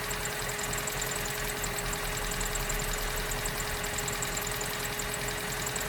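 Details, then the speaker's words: 2004 Vauxhall Corsa C 1.2 petrol, off the road two years, after full service with fresh oil and new fuel filter: steady, even idle with light uniform valvetrain tick, no heavy knock; engine sounds healthy. "So that's sounding good. And we're good under here as well, no leaks from the new fuel filter. Right. This is what it sounds like with fresh oil."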